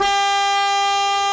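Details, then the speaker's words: Car just bought as a project, with the battery newly connected: turning the key doesn't crank the engine but sets off the alarm, giving a loud, steady, unbroken horn blast of about 10 seconds. "oh well it does it activates our alarm system 10 seconds"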